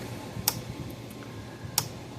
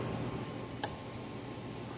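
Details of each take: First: Gallagher B1600 electric fence charger in a quiet room: sharp single clicks about every 1.3 seconds, but a no-load peak voltage test reads nothing; fault traced to a failed transformer winding on the output board. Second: Gallagher B1600 fence charger after repair, on the full power setting under about a 100-ohm test load, around 8 joules output. Two sharp snapping ticks about a second apart over room hum; normal pulsing under load.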